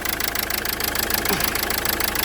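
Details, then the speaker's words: Renault Scenic III 1.5 dCi diesel with fuel injection warning; uneven lumpy idle knock, one cylinder not working; scan showed injector 1 signal fault and unplugging it changed nothing, so injector 1 (gearbox side) is dead; misfire from dead injector. "After we started the engine, we heard that one of the cylinders doesn’t work. You can hear how it works."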